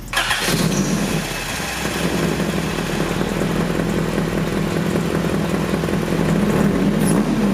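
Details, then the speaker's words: H23A-swapped Honda Accord with a morning-only no-start, after replacing the suspected ECT sensor: brief crank, catches quickly, settles into a steady, even idle with no misses; runs fine. "new sensor she's running it sounds pretty good it's pretty darn good"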